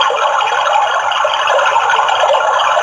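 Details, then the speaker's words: Water tank full overflow alarm (A88 chip IC board): loud, warbling, rapidly rising and falling siren with a Hindi/English voice announcing the tank is full, switch off the motor. "सावधान, पानी की टंकी भर गई है। कृपया motor बंद कीजिए। Attention please, water tank is full. Please switch off the motor."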